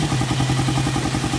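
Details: Suzuki Raider 150 with hard starting, idling; fast even ticking keeps pace with the single-cylinder idle beat, top-end tick, timing chain and compression release suspected, not confirmed.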